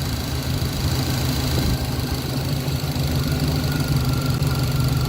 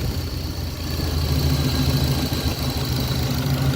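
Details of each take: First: 1966 Pontiac Catalina wagon V8 (Sniper-style throttle body with IAC/TPS) idling with rear wheels off the ground, coming down from about 800 rpm toward idle setting as bypass air is adjusted; low, steady burble, no miss or knock: normal idle. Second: 1966 Pontiac Catalina Wagon V8 with IAC troubles, throttle blade set two half turns open: even slightly fast burble holding steady about 800 rpm, still too high; needs more bypass air to reach idle setting.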